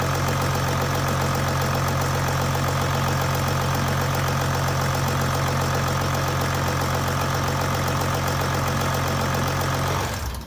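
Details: 2008 Jeep Grand Cherokee WK CRD, Mercedes OM642 V6 diesel, idling: steady, even idle with smooth low rumble, no knocks or misses, no check engine light, healthy.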